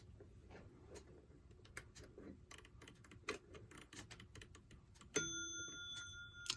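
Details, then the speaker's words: Ingraham SSD8 electric strike clock, c. 1936, after repair and restoration, running on the workbench: quiet clicks and ticking, then one clear ringing chime sustained about a second; strike working normally. "well there you go not quite as impressive a sound as the advertising would make it out to be but nonetheless it's working"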